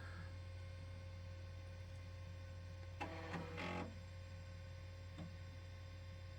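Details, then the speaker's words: Shea Technologies Celeron 333 tower with 512MB PC100 RAM trying to boot Windows 98: steady low hum with a rattly chatter burst and a later click; hard drive seek noise, hard drive condition suspected, software or hardware cause uncertain. "the condition of the hard drive has me wondering because it makes it pretty hard stopping noise um so tough to say if it's a software or Hardware issue"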